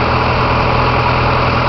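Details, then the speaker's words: Carbureted Dodge 2.2 with Holley 5220 carb, air cleaner removed, warm idle raised a couple hundred RPM from 1,000 by turning the idle screw after rough idling; smooth, steady even hum with no stumbles, healthy idle. "as you can hear, I have increased it by merely a couple hundred RPM. It's idling good right now. It was idling at 1,000."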